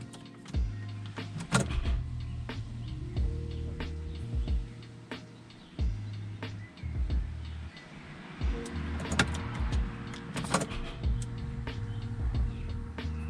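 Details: Chrysler Crossfire after fuel filter replacement and battery reconnection, ignition cycled several times: short low electric hums in repeated on-off bursts with clicks as the fuel pump primes normally to restore injection rail pressure.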